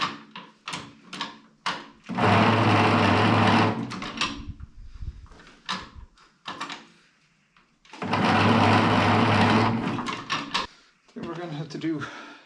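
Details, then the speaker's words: Ferguson 20 petrol/TVO tractor that sat in a shed about 10–15 years, first crank attempts: two laboured bursts of a couple of seconds turning the engine slowly and heavily; slow cranking blamed on dirty battery and starter connections needing cleaning. "more cleaning connections uh it's a bit sluggish going try it from the other side of this"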